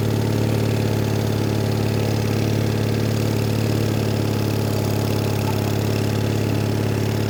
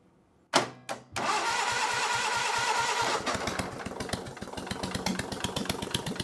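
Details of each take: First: Onan engine on a Davis/Case trencher, idle speed lowered a little: even low chugging idle about 3.5 beats per second, no knocks or stumbles; idle speed correct. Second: Onan engine on a Davis/Case trencher, intake manifold off, started on jump pack: short crank, catches, uneven hunting idle rising and falling; running lean, opening idle mixture another quarter turn for more fuel makes it idle.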